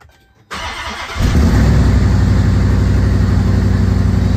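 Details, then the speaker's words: Mopar 11 Charger, first start after installing the body harness, with fluid previously found in one cylinder: cranks briefly, catches and settles into a loud, steady idle with some smoke and no ticks or knocks; a healthy start. "not bad sounded good I didn't hear any ticks knocks nothing real good"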